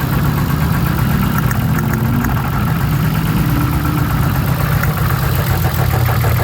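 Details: Drift car idling after an ignition coil was replaced: steady, even low idle with a smooth, unbroken exhaust note and no misses; engine running cleanly.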